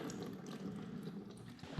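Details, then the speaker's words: Kawasaki 750 SS jet ski seat, no engine running: a drilled hole on the underside lets trapped water out in a steady trickle with scattered drips and a splash; water draining from a waterlogged seat. "so what i'm gonna do is i'm gonna take a i'm gonna take a drill bit and just poke a hole on the underside of this and we'll see if we can drain some of the water out of this seat whoa there she is oh boy let's see how much we get out of this thing"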